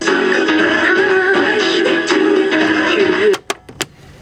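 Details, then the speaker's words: 1993 new-old-stock Califone 5232AV classroom cassette player: music plays dull and dark, treble missing, a few clicks; muffled playback, suspected dirty or worn head or azimuth off; head then cleaned. "Sounds like the head's a little bit dirty on this one, or the azimuth's off, or the head's worn out. Yeah, something's up. You can hear it's not clear."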